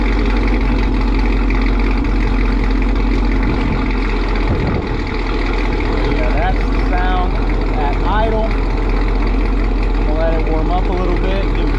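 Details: 2018 Chevrolet Camaro ZL1, LT4 supercharged, with newly installed long-tube headers and an earlier header gasket exhaust leak: very loud, deep, steady idle with a few short throttle blips and no ticking; normal idle.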